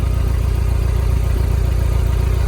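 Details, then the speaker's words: 1990 Mitsubishi Mighty Max pickup at idle: a low, lumpy idle with a regular stumble every few beats, as if one cylinder is dropping out; the plug wires aren't old and aren't arcing, so the owner suspects a burned valve, not a tune-up issue. "They're a little dusty, but they're not that old looking. I don't hear them arcing. I bet it burned a valve."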